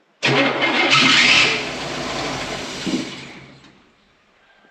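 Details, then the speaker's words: Rebuilt Cummins-swapped "Fummins" engine on its first start after the rebuild, cold: it catches, runs rough for about 1.5 seconds, then sputters and dies; the tank is nearly empty, so fuel starvation is suspected. "How many times can it go? Maybe out of gas also. I mean, that's... Yeah, we never checked. That's a very possible. It kind of sounds like it wants to run on just like Yeah, that tank's about as empty as it the gets."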